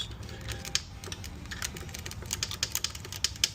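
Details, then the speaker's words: Sharp, uneven ticking over a low engine rumble with the derby cover off: a loose primary chain slapping its case, not detonation or engine damage; the bike needs a primary chain adjustment. "So, I just I had a very busy day. I didn't have time to do anything, but I just pulled your derby cover off. And uh there's your chain. I don't know if you can see it in there, but look at that. Look at that. Just smacking your case."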